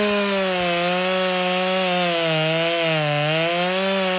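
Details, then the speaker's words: Husqvarna 346 XP chainsaw after cleaning the scored cylinder and fitting a new piston and ring, cutting wood: high steady two-stroke scream dipping and recovering as the chain bites; pulls strongly, runs clean, idle slightly high. "not so much a lemon anymore guys this thing is awesome let me start it up show you cutting here"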